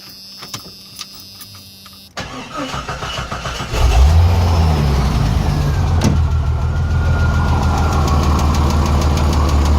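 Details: Engine after backing off the number 6 exhaust valve rocker arm bolt to cure a misfire: cranks, catches, then a fast even rocker tick at idle, about three or four a second; owner suspects a weak valve spring, not confirmed.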